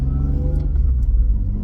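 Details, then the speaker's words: BMW E36 cabin recording while cruising: deep steady exhaust rumble with a gentle throb following the engine, still with its pops and bangs but less raw and more comfortable inside than before; healthy exhaust note. "and as you might hear it's a lot like uh a lot more comfortable from the noise side uh inside of the car like you still hear the exhaust and it still makes noise as well as the pops and bangs it did before"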